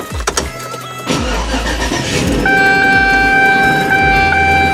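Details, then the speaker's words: 2004 Chevy Avalanche 5.3 V8, second startup after engine work, before a test drive: catches after a brief crank and settles to about 800 then 600 rpm, smooth with no misfire or ticks; oil pressure and charging good, coolant temp rising. Normal idle. "butter idling at 800 it's actually dropping more it's idling around 5 600 and it's it's smooth there's no misfire no the engine ticks"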